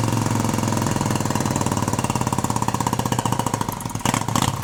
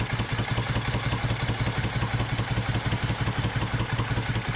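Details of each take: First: 1971 Moto Guzzi Ambassador V-twin, 4-speed, under full restoration with changed crank and new rings, first fire-up: even, steady pulsing idle with low throb and little mechanical rattle; motor sounds quiet and tight, normal idle. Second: 1971 Moto Guzzi Ambassador, under full restoration with new rings and changed crank, first fire-up: uneven, lumpy idle with irregular stumbling pulses that won't settle; tight new motor, probably needs rejetting; rough idle.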